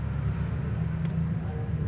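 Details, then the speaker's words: Wall fan that was jammed and only humming, fixed by cleaning the shaft and bushing and oiling them, nothing replaced: on power, a low steady hum with an even drone and no rubbing, ticking or drag; the motor spins freely. "Nah ini Udah lancar ya udah tidak ada hambatan posisine juga udah halus yang berikutnya kita akan tes menggunakan listrik"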